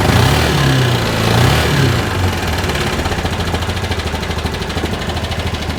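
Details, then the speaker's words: 2013 Bennche 500 single-cylinder UTV, brought in for knocking and smoking, idling in the shop with faulty O2 sensor: steady settled thump, no knock or rattle; motor sounds really normal. Normal idle. "The motor sounds really, really normal."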